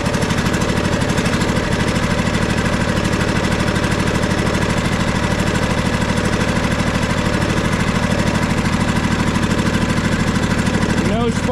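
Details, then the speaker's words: John Deere D130 riding mower twin running: lopsided, loping beat, only one cylinder firing, no spark on that side; mechanic guesses the ignition coil is bad. "so as it's running another thing I can tell is it sounds like it's running on one"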